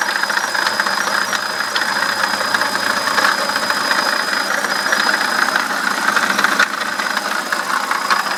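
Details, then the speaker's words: BMW E65/E66 at a rough idle: thin high squeal, steady. Slight pump wobble and no coolant leak; squeaking for a couple of days. The water pump bearing is going bad. "but my water pump bearing is going out it's been squeaking pretty bad like that the last couple days how it kind of runs rough like that"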